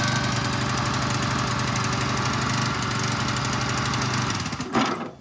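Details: Toro Z5000 TimeCutter zero-turn mower, Kohler Courage 21 engine, running unloaded with drive not engaging: hard steady high-pitched roar with no governor dip, then cuts out; throttle suspected stuck, unconfirmed, engine overspeeding.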